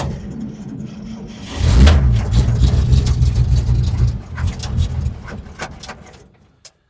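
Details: 1947 International truck that needs a lot of choke. It cranks, catches and runs rough about two seconds, then stalls, as if a little fuel fills the float bowl and then drains. Carb suspected. Starts then dies.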